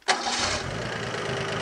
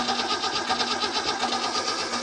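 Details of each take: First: Engine with Kettering ignition after timing set correctly and vacuum advance reconnected: catches almost immediately and settles into steady run without stumbling; clean start with correct ignition timing. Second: Engine with Kettering points ignition, distributor being rotated via 9/16 bolt during timing adjustment: idle lumpy and uneven, then rises and hunts as distributor turns; ignition timing well out of spec, target eight degrees.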